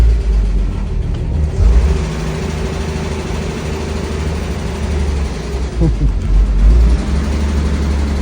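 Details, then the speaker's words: 1965 Mustang first run after 10+ years parked: uneven rumble held on throttle, rising and sagging; stalls if foot comes off accelerator, won't idle, was flooding; suspected carburetor needing tuning. "Yeah, if I take my foot off the accelerator, she's gonna die."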